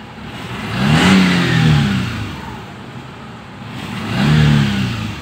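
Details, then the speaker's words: 2015 Daihatsu Xenia 1.0, previously sluggish with no power, after new spark plugs, carbon-cleaning engine treatment and tuning, AC on, idle steady near 900 rpm: quick throttle blips climbing and dropping cleanly and lightly; normal free revving. "Oke jadi gasnya langsung beda udah udah enteng"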